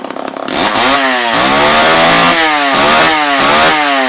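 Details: Homelite Super XL chainsaw after repair, including a damaged reed valve that pushed fuel back from the carb into the tank: crisp two-stroke snarl rising and falling cleanly with each throttle blip, no stumble; running great, carb may get slight fine-tuning.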